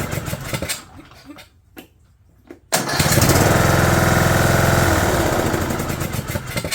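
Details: 2011 John Deere D110 mower, engine reassembled from boxed parts, restarted off choke, throttle cable not hooked up, expected to smoke: pause, then catches and settles into steady even single-cylinder beat, smooth and clean; runs good.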